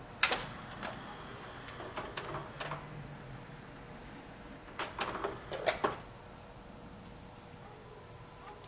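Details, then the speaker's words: Sony 5-disc CD changer after repair, cycling through all discs several times: scattered light clicks and short whirs as trays move and seat, then a brief tone, no grinding or skipping; normal changer operation. "well that's all of them several times through um they seem to be working fine"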